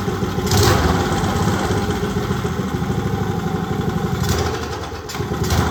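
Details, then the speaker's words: Old Briggs & Stratton single from a go-kart, sat outside 8+ years, carburetor mixture screw set about 1.25 turns out: lumpy idle with a brief sag as throttle opens, then picks up; stumbles coming off idle. "I'll fry it up. Not want to come off idle."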